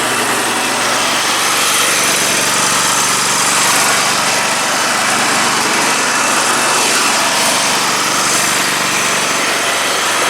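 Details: Dixon 72-inch mower with 1200 hours, after deck pulley repair and jumping a coil to cure an intermittent misfire: loud, steady idle with an even, buzzy exhaust beat and no misses; normal idle.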